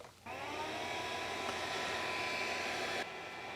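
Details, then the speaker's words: Filament dryer blower fan with the cover removed, blowing into the heating element, about 44 dB: a smooth, steady rushing whoosh with a faint even hum and no wobble; normal blower airflow with lots of air movement. "There's a lot of air movement coming out of this one with that blower fan."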